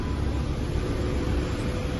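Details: 2005 Jeep Wrangler TJ that would not start, running after replacing an open fuse feeding the engine computer and injection relays (ECM not at fault): steady, even low rumble, no stumble, miss or knock.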